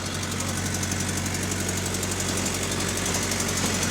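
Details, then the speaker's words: LT bus (LT138) on route 248 at diesel idle: light, fast ticking at about four per second over the steady clatter, coming from the engine. Cause unclear. "Alright, this is my first time hearing an LT with this ticking noise."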